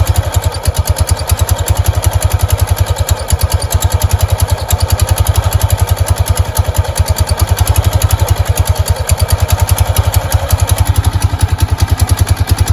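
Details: Kawasaki Prairie 300 idling with the belt cover off after snake remains were found inside: steady low single-cylinder thump with no belt rubbing or scraping, and the earlier noise is gone; normal idle.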